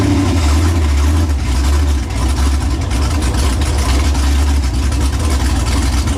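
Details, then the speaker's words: New LS 383 V8 in Deathwish on break-in oil, first fire-up: loud, deep rumble with an uneven, lumpy beat that sags midway. Rough idle from running far too rich; untuned, with the tune not remotely close. "I'd say she [Laughter] runs it's it is pig Rich Pig Rich two stroke"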